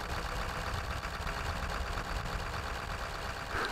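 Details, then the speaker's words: Ford 7.3 Powerstroke diesel, cold, during blowby test with ping-pong ball; steady quick clatter at raised even speed as high idle kicks in for warm-up: normal cold high idle. "I don't know if you'll be able to hear it in the video or not but the engine acts just kicked in the high idle because it's cold and it's warming up"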